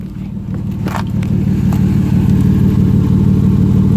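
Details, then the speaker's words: 2006 Chrysler Pacifica 3.5 L V6 revving: loud, rough, puffing exhaust drone that grows with revs, from exhaust leaks at the catalytic converter and muffler, before exhaust repair. "that sounds kind of horrible almost like a four canyons on it we have we have an exhaust leak for sure it's a catalytic converter it's leaking and also the muffler"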